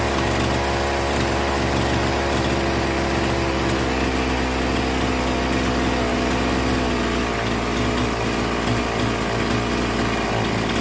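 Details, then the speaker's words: Old Zenoah 3800 chainsaw, carburetor screws reset from overly rich setting for a no-start: small two-stroke buzzing at steady, even speed with no surging or dying; normal running after carburetor adjustment. "이렇게 하면 지금 대충은 맞았구요 이제 전체적으로 다 어 조립을 한 다음에 다시 한번 해보겠습니다"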